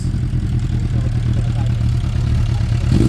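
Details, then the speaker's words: Suzuki Bandit with Blue Flame Duro exhaust after resealing the exhaust, warming up: deep, even firing pulses at a steady idle, no puffing or ticking; sounds much better, exhaust sealed. "wow yeah it sounds so much better let's give it a minute"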